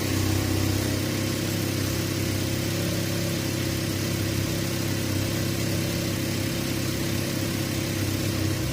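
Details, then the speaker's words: 2015 Cadillac ATS 2.5 after rear differential replacement, CV axles, supports and driveshaft coupling tightened: steady even drive hum in gear with no roar or whine; drivetrain sounds fixed, normal. "all right all right i sound like it's fixed cool"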